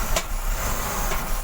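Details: BMW X5 E53 with M54 3.0 engine, started in the morning after sitting overnight: rough misfiring idle as if about to stall, with an intermittent knock near cylinders 5–6, absent for the first 1–2 seconds; fixed by cleaning the throttle body with carb cleaner.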